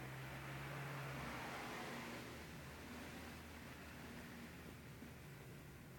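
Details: Honda NX650 single idling quietly with a steady light tapping of about four per second over a low hum. The owner suspects piston rattle; the cause is not confirmed.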